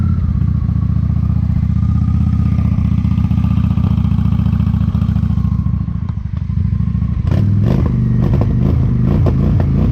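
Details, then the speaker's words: 1998 Honda Shadow 750 ACE V-twin under restoration, new tank, petcock and air filter: steady lumpy idle picking up cleanly on throttle blip; normal running. "and then it finally kind of gave a couple revs when I had it on choke and seems to be running good."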